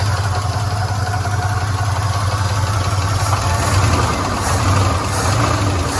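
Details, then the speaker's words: 1977 Chevy C10 Custom Deluxe V8, automatic, first run after sitting since 2006; loud rough idle with loose uneven tapping about once a second; noisy lifters, one clunk attributed to broken flex plate, water pump not pumping. Ticking at idle. "so we know it runs we know we've got some noisy lifters"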